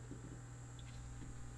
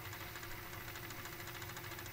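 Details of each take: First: Aiwa AD-F460 cassette deck in play mode with a tape loaded: faint steady motor whirring with no tape movement, sometimes a weird noise then it stops; drive motor runs but capstan doesn't turn. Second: Aiwa AD-F460 cassette deck, after repair of no-tape-turning fault: steady whirring rewind with light mechanical chatter, then clean clunks as it stops at tape end; transport working properly.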